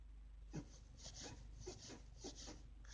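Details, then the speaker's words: Renault Logan, creak near the right front strut when steering is turned back and forth and over bumps: dry creaks about every half second; strut bearing fine, tie-rod end new, suspected dry ball joint at 50,000 km with no play. "всем привет будем лечить такой звук непонятный скрип в районе стоек на рено логан звук вот такой"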